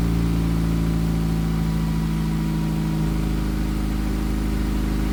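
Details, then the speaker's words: Honda Accord, first start after cylinder head reinstalled for a misfire repair, exhaust not yet fixed: starts at once and settles into a steady, even idle with a deep loud exhaust note, no misfire or stumble. "Yeah, let me start it back up. Sounds great."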